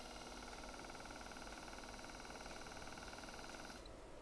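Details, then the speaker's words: Replacement throttle body motor for a Mercedes SL600 passenger-side throttle body, spun on the bench: smooth, steady high whir with no bearing noise, spinning faster than the original motor, which had front-bearing noise, vibration and slower speed. "one spins good faster see the notice the speed difference"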